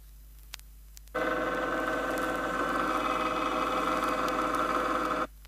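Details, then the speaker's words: 1970 Chrysler rear axle demonstration, pinion moved out of the drive gear about 0.002 inch: steady mid-pitched whine with a slight sharp, grinding edge, louder than the low hum at proper depth; incorrect pinion depth gear whine. "it's light but the sound has increased and is starting to have a grinding or sharp characteristic"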